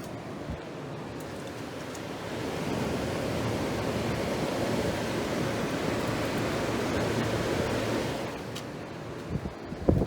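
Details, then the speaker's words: GE air conditioner on 120 V, fan-only before the compressor starts, switched from low to medium to high: steady rushing airflow with a low hum, even and unbroken. Fan running normally on high speed. "So, start on low fan. Thing's silent. Alright, let's go medium. And high."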